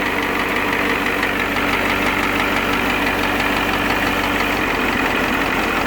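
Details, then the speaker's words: Ford 7.3 IDI turbo diesel, warm idle, after a new injection pump and injectors: sharp tick-tick knock about twice a second over the diesel clatter and single-mass flywheel chatter; knock traced by stethoscope to cylinder 7 and stops when that injector line is cracked. "But you'll see when I crack the number 7 injector line that the knock goes away. So you can hear it tick, tick, tick, tick, tick."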